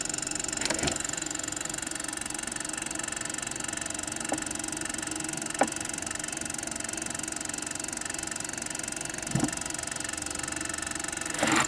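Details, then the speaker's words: 1914 Victor Victrola VI (VV-VI) phonograph motor, before cleaning: low uneven rumble with occasional knocks as dry oil and grease make the mainspring coils stick and suddenly release; the motor runs but is noisy from dry springs. "that dry oil and grease in there causes the spring coils to stick and then suddenly release uh that'll cause sometimes you hear a rumbling sound"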